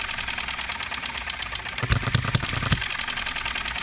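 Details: Enjomor 6cc hit-and-miss model engine mounted on a cart, being tuned for governor speed, ignition and valve timing: quick, even ticking with an occasional stumble of heavier thumps. Intermittent misfire; the timing is to be adjusted next.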